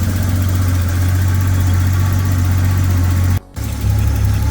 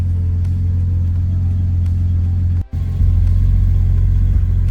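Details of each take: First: Datsun 280ZX Turbo (L28ET) warming up; idle dropped from 750 to about 500 rpm (650–750 normal for this car), deep, slow, loping idle; idle speed too low, may need adjusting. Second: Datsun 280ZX Turbo (L28ET), AAC valve blocked off and idle set manually at the throttle stop; warm engine at about 850–900 rpm, check codes cleared; deep, even rumble with no misses or knocks, responsive; normal warm idle.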